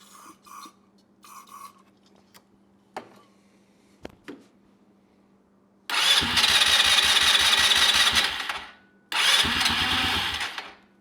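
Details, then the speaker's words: Neglected ATV that sat unused: two bursts of steady cranking with no catch or firing; cranks but won't start, carburetor suspected and to be removed. "It wants to. Yeah, that carb's got to come out of there."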